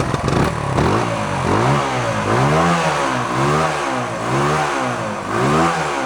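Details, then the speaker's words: 1972 Honda SL125 warming up with the airbox off, rust blowing from the long-unused exhaust: small single revs with a loud, raspy, open exhaust that gets harsher with throttle, from a hole in the bottom of the muffler; valves also sound tappy, set loose. "oh remember that hole I wasn't worried about in the bottom of the muffler it's noisy I got to put a patch inside"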